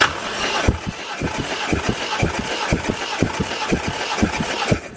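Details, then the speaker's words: Used Toyota 1JZ VVT-i drive-by-wire engine, being cranked for a compression test, reading 180 on all six cylinders: steady even beat about two pulses a second, no skipped strokes; normal even compression. "so now we've started the engine we verified it runs we have recompression checked and verified that it's even across the board"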